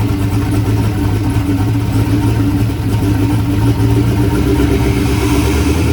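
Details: Chevrolet S10 truck at a steady, even idle with a deep, smooth low rumble and no knocks or misses. It started rough, likely because an earlier idle-screw adjustment threw the IAC and idle off; once readjusted, the engine runs normally.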